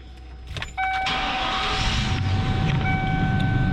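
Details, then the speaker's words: 1994 Lincoln Town Car Signature Series, original 4.6L Ford mod motor, metal intake, 158,065 miles, on a booster battery: short crank, fires right up and settles into a smooth, quiet, even idle; healthy. "fires right up 158 065 miles on it let's step outside and listen to that 4.6 liter she is whisper quiet despite having some miles"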